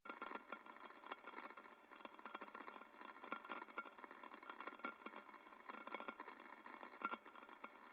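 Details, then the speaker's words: Ultrasound inspection of an extruder: crackly hiss with irregular sharp clicks and rattles, impacting noise, not an air leak; traced to a loose plate on the extruder. "so some impacting um we can hear that kind of rattling not definitely not an air leak so something else was going on"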